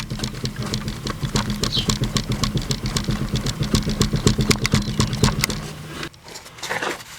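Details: 1998 Chevrolet Corvette C5 right rear wheel hub, engine off: rapid irregular clicking and knocking as the wheel is rocked by hand, camera on the tire; movement in the worn hub bearing, before replacement.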